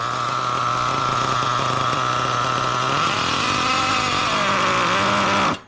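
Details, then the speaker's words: Nitro RC truck during carburetor tuning, idling at only 140°F, low-speed needle about to be leaned a quarter turn: buzzy wandering burbling idle before dying out; rich idle mixture, low-speed needle too rich. "Okay, it's idling at 140 degrees, right? That's super rich, okay?"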